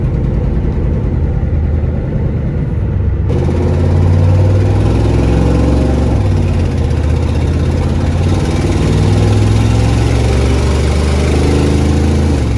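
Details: 1994 Ford F-250 7.3 IDI diesel, revived after sitting for years, started before test drive: idling and revving with raspy puffing tick on each firing pulse, growing with revs; leaking exhaust manifold.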